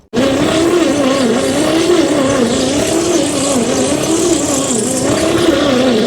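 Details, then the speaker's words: 1959 Chevrolet Fleetside pickup idle since the 1970s, cranking on a weakening battery: a long, steady crank with wavering starter whine that never fires. Zero compression is found; rings suspected stuck or bad, a tired old engine. "now the conclusion on this motor is is that even with all the valves working she has zero compression it's probably just a tired old motor is the honest to God's truth"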